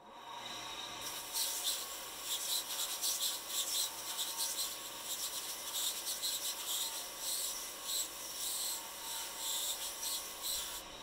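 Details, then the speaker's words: Belt sander grinding a bamboo bow backing strip to taper it: rough raspy scrape with a thin high whistle pulsing through, the whistle being chatter on the strip, which shows how far from a smooth surface the grinding still is. "When you hear it whistling on the belt, that's chatter, blade chatter on the limb itself. So you can almost hear where you're at as far as getting to a smooth surface."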